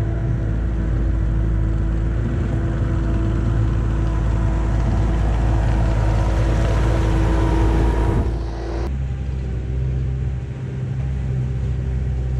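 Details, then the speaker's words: 1999 Bobcat 864 tracked skid steer after replacing right-side drive motor with rebuilt unit and refilling fluid, digging test: steady diesel rumble with faint whine, pulls evenly without bogging; normal drive under load. "all right so that's definitely working pretty well now so that's good"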